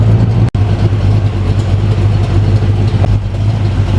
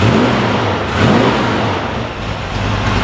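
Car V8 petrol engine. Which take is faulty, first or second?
second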